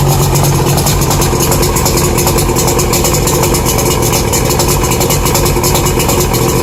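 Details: Outboard on a 1992 Lund Pro-V idling loudly with rapid regular light tapping; owner suspects rod knock or piston slap, unconfirmed; light blue smoke, carb thought tuned right, runs slow.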